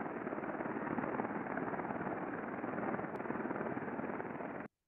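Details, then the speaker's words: Grid coupling heard through a heterodyned ultrasound data collector: a rough, gritty hiss with repetitive impacts at running speed. Friction from lack of lubrication. "so let's look at a coupling that needs lubrication so for example a grid coupling which requires lubrication as um friction increases through lack of lubrication we're going to start to hear something"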